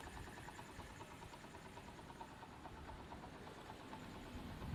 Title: MONKY（Z50J） after maintainance incl carby O/H fixed exhaust leak 整備完了後